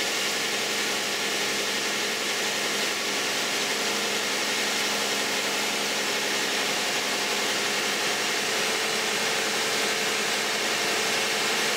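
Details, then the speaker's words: Cold start and idle of a 2010 Toyota Camry 3.5 V6 (2GR-FE), 152,000 miles, on Mobil 1 5W-30: steady, even idle with smooth hum and light hiss, no knocks or ticks; normal. "This is going to be the cold start of a 2010 Toyota Camry V6 3.5 with 152,000 miles, and let's see how it sounds."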